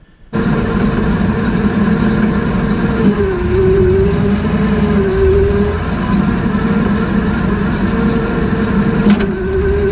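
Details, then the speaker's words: 2006 Meridian 341 boat running in drive after realigning the misaligned propeller shaft and tightening coupler bolts, which cured the squeaky cutlass bearing and leaky PSS shaft seal. Steady, even engine drone with smooth shaft hum, no knocks or squeals; no leak, running healthy. "it seemed pretty good no water spray and no unusual sounds doesn't seem to be leaking and it sounds better it's not squeaking"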